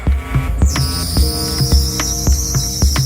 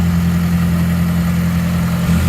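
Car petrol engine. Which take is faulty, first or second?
first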